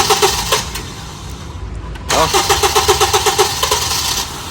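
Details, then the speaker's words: Honda Civic FD K20 after overnight parking, previously long cranking: a few quick cranking beats then catches at once and runs steadily; restarts easily after fix restoring fuel rail pressure retention. "ตอนนี้ติดแล้วติดเลยติดติดแล้วดับสตาร์ทเครื่องใหม่ก็ติดง่ายค่ะ"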